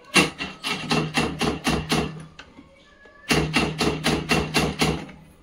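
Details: Honda Activa scooter whose self-start gives only a rapid tik-tik clicking with a faint buzz and no cranking; the battery is said not to be at fault. This is a chattering self-start relay.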